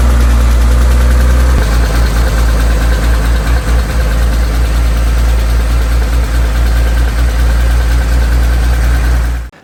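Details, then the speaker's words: Porsche 911 air-cooled engine idling: steady light horrible ticking, constant hot or cold, unchanged with load or revs; owner suspects excessive valve lash on one valve. "I haven't driven Harry much because just recently it started making a horrible ticking noise which you can hear here"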